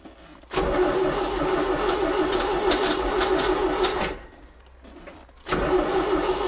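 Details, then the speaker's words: ZAZ 968M after standing two to three weeks: starter churns, pauses, cranks again without catching. No fuel from the return line, so no fuel reaching the engine; the removed fuel pump was not pumping. Crank, no start. "бензин не поступает в общем смотрите отсюда крутанул напрямую с обратки бензин не идет значит бензин не поступает"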